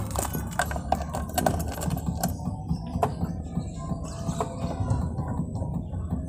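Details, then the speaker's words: Daihatsu Hijet 1000 (Bagong), 1000 cc three-cylinder, well maintained: catches immediately on the key and settles into a low, steady idle thrum with some key jingle. Smooth, normal start. "Langsung nyala ya, karena sangat terawat, starterannya mudah, suaranya pun cukup halus ya."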